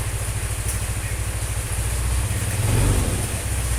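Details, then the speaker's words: Single-cylinder engine on fresh Total Hi-Perf 20W50 replacing a Prima XP, Bimoli cooking oil, Schaeffer Moly EP and nano energizer mix, cold weather: quick, even putter holding steady idle, smoother, no tapping or misses; owner unsure how the oil behaves cold; normal idle. "ini suara mesinnya lebih halus cuma ini kayaknya olinya kalau pas dingin-dingin gini anu ya"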